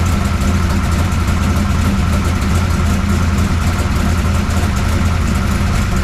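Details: 1969 Camaro pro street V8 after Holley carburetor rebuild and ignition timing adjustment; deep, steady idle with regular lumpy pulse, no tapping or grinding on top; healthy, runs pretty good, valve lash still to check.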